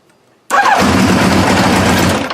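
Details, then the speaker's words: 1986 Kawasaki GPZ900 no-start: cranking with clutch lever pressed hard, one sudden burst under two seconds then dies; starter cuts in and out intermittently, faulty clutch lever switch. "no cranking and i'm pushing hard against the lever as you can see pushing it that way comes and goes"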